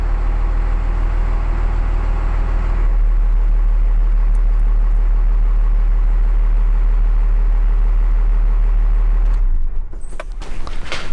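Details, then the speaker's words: 1994 Dodge Ram 2nd-gen Cummins 12-valve diesel, started after a fuel filter change and priming until the injection-pump relief valve sounded: lumpy first seconds, then a steady, even low rumble, then shut off. Normal start. "right so you saw we got it running we didn't like on these cummins generally speaking if you give it just a little throttle as you crank it it'll fire right away"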